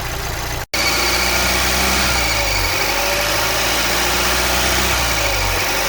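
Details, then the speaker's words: 2019 Volvo XC40, 2.0L L4 B4204T18, failed PCV oil trap (codes P0171, P0507): with oil cap on, steady idle with thin high squeal that persists about 5 minutes until cap removed; bad oil trap squeal/whine. "And when I go and put the cap on, you'll hear the squeal it's supposed to make. And on this, it'll squeal for about 5 minutes until you take the oil cap off."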